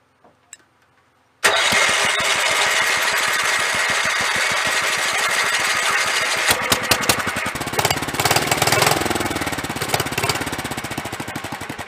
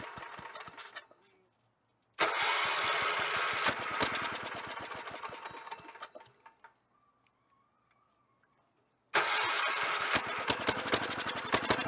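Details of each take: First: 1983 Avenger 400 ATV, 318cc Kohler K181 8hp single, new fuel lines, clean ethanol-free gas, carb primed, on choke with throttle held at fast idle: starter spins with quick even chuffs about thirteen seconds but never fires; points then checked. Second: 1983 Avenger 400 ATV, 318cc Kohler K181 8hp single, revived after sitting: two bursts of fast even cranking with firm compression, briefly firing on priming fuel (two-stroke gas poured in plug hole) then dying; strong compression.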